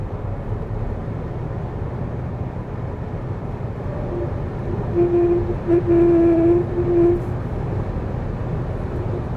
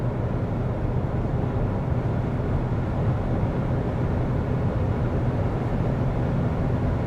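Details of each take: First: Lixiang car at 130–140 km/h in wet, windy weather, recorded in the cabin: low steady hum over road and wind noise, resonating into the pillar, suspected from a door seal; testing removed seal, air ducts also suspected. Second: Lixiang cabin at highway speed in a wet-weather test, door seals taped over: steady low road rumble with no humming or whistling, the wind hum that appears at 130-140 km/h gone.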